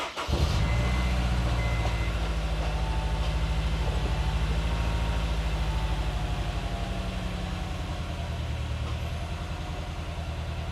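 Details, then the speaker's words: Honda S2000 after new spark plugs, coil packs back in original positions: idle lopes unevenly with irregular low pulses and stumbles in the exhaust beat; starts better but still rough, misfire rough idle; coil packs suspected next. "No. Still as rough as before. It started better. I will say that."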